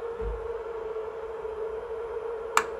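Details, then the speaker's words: Electric water heater: upper thermostat setting lowered so the top water is hot enough. One sharp dry click over a steady low hum as the upper thermostat opens normally and sends power to the bottom. "there you can heard it you heard it click so temperature setting is now to a point where the water inside on the top part is hot enough enough that the power is being send to the bottom right"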